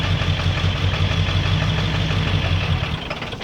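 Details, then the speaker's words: 2000 Ford F350 7.3 diesel, shifted by floor cable due to broken shifter: steady idle rumble for about three seconds, then the engine stalls as soon as reverse is engaged; owner suspects a failing PCM or the transmission, unconfirmed. "reverse and it dies now I'll start right back up put it back in neutral and start right back up"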